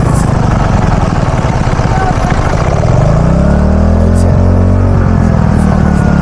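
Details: Robin small engine after ignition coil repair for a no-start: runs steady and even, picks up revs smoothly around three seconds with clean, regular firing; normal running.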